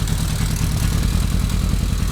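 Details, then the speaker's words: 1995 Kawasaki KZ1000P ex-police motorcycle, rebuilt, CV carbs, warm with no choke, at idle; steady even burble with no misses, though revs hang after throttle blips. "okay guys so you can hear it's running this is just idle"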